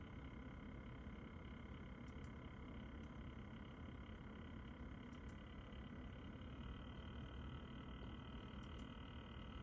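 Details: NZXT Kraken Z73 liquid cooler pump: steady, rough low buzz with faint constant whining tones above it, owner finds it unbearable.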